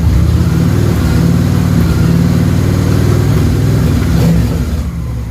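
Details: Honda VT 750 V-twin after stator replacement: deep, even burble climbing smoothly with throttle and settling back without misses or knocks; charging voltage near 13 V rises with throttle, sounds healthy.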